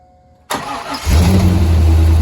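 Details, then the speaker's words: Corvette C5 manual, a former non-runner, after a replacement PCM/ECU install: the engine catches and settles into a deep, smooth, steady V8 idle with no knocks or misses. Normal idle. "sounds good doesn't it it just it does sound good sounds Mega um and I'm glad to say that the engine sounds nice yeah it sounds Mega start it again"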